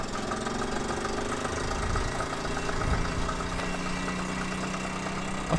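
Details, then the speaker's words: 1978 Honda Z50A single on test ride before rebuild: putters along with a dull irregular knock over the idle; owner thinks old worn engine with no compression, cause unconfirmed, engine knock. "It sounds a little bit knocky. So, watching this back, goddamn does it sound bad. When you're riding it, you can't hear that knock, but it really doesn't sound good."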